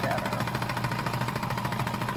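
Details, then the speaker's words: Cleaned yard-sale sewing machine after the thread tension was adjusted, with no puckering. Quick, even needle patter over a smooth motor hum with no catching or clacking: normal stitching. "all right that sounded much better now Mary's little motor oh that's almost perfect"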